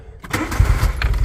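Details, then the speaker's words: 1980s VW Polo Mk2 "Breadvan", 94,000 miles: brief crank then catches on first turn of the key and settles into an even low idle; healthy start, sounds sweet. "oh my God first turn of the key foreign [Music] yes that sounds sweet that sounds sweet"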